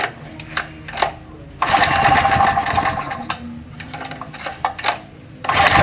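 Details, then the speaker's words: Generator unused for a year, after carburetor work and confirming fuel flow, started on choke: single-cylinder engine catches and settles into steady even run and normal idle, no rattling or sputter; normal running, repair successful. "Oke teman-teman, di sini gensetnya sudah hidup normal tanpa ada suara redet-redet di gensetnya, dan stasionernya itu seperti biasa normal sekali, dan saya nyatakan berhasil sesuai dengan trik yang saya lakukan tadi."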